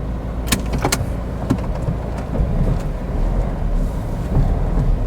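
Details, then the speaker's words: Cheap used Mazda 2 on a test drive: sharp, irregular clunks over road rumble, a pronounced clunky, rattling steering, as noted on the previous MOT; cause unclear. "I can hear the clunky steering now can you hear that all right it is quite pronounced that let's open the barrier it's rattling well the steering's clunky as it predicted or as it said on the previous Mot"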